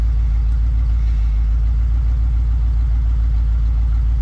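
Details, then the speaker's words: 1992 Ford Bronco 5.0-liter (5 liter) V8 at idle, runs but doesn't drive, transmission and transfer case without fluid: deep booming raw low-end throb, steady rhythm; exhaust system missing. "so we're gonna fire up real quick it's a little bit loud there is no exhaust on it so let's see how this whole 5 liter sounds"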